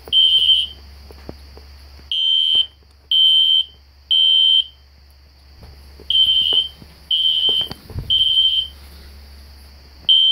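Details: System Sensor SpectrAlert Classic horn strobe set on low volume, heard in the background with no control panel: loud high-pitched half-second blasts repeating in uneven bursts over a quiet room; horn sounding normally.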